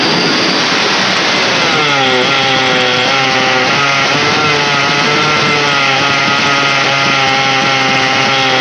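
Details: Yamaha two-stroke motorcycle whose throttle won't rev out: revs rise then waver and drop instead of clearing; mechanic traces it to weak ignition rather than carburetor, blackened plug, spark plug replaced.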